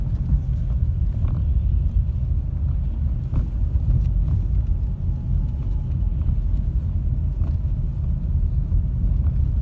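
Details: Ford Focus 3 facelift with power steering rack: sharp, irregular knocks over a low road rumble while driving, a worn steering rack.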